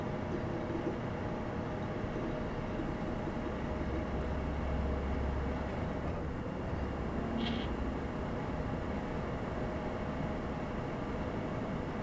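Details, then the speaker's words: Before fix: constant rushing whoosh and faint hum from a loud desktop computer whose case fans are not built for silence; fixed with new case and quiet fans. "so if you have this problem and your computer's lab the main reason is because you don't have fans that are built for silence"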